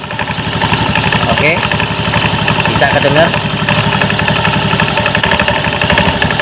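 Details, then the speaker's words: Honda Beat FI automatic scooter idling: loose, irregular klotok-klotok clattering knock from the CVT belt drive over the engine note, present at start and idle, gone at mid-to-high rpm, worsening on throttle; front pulley set suspected. "Oke kita periksa yuk bisa terjadi dari bagian Sisi puli depan set komponennya ataupun set paket belakangnya"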